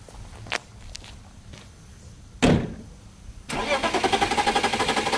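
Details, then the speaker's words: BMW 325ti inline-six started with the airflow meter disconnected so that it runs properly on all six cylinders: clicks, then a quick crank and catch into an even, regular idle with no stumble, a normal start. "dus hier gaan we naar start de flowmeter losgekoppeld zodat hij onberispelijk op 6 cilinders loopt en dan gaan we naar huis om aan het werk te gaan"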